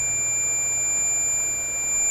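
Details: Philips 922 five-tube shortwave radio during on/off switch repair, strong cleaning fluid fumes in the room: thin steady high-pitched tone then a shrill chirp near the end; smoke alarm sounding, likely from the fumes.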